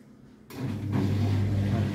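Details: LUX front-load washing machine that fills with water, on the spin program: a low steady motor hum with no drum tumbling rhythm. The motor runs but the drum does not turn.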